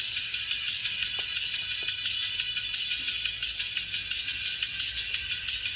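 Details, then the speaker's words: Marshall Stanmore II speaker under repair, powers on and pairs Bluetooth: music plays thin and tinny, treble left and right audible but midrange missing. "[เพลง]ชื่อเสียงเสียงแหลมนะครับซ้ายขวาดังนะครับแต่เสียงกลาง"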